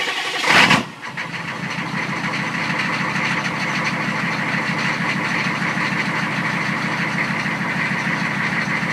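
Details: 1993 6.5L diesel, hard starting: brief crank then catches and settles into steady clattery idle; cause unknown.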